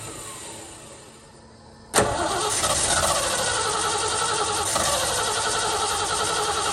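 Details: 1970 Ford Bronco, manual, sat for years, restart attempt after re-priming by cycling key: sharp catch after two seconds, then rough uneven running that sags and stumbles, no sustained start; owner suspects it needs more fuel.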